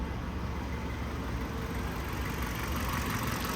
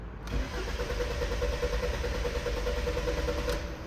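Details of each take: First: 2015 Kia Sorento with intermittent no-start and code P0340, after replacing both faulty camshaft sensors: starts immediately and settles into a steady, even, smooth idle with no misfire or stumble; normal running. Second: 2015 Kia Sorento with P0340 code, intermittent no-start or delayed start: starter churns about four beats a second for several seconds without catching cleanly; extended cranking blamed on faulty camshaft position sensors (camshafts less likely), later replaced.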